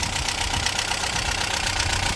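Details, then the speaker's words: 1998 Talbot Express motorhome petrol engine idling: steady even idle, busy exhaust note, no top-end ticking; tappets fine, plugs and HT leads checked. "as you can hear she is not tapety her taets are fine"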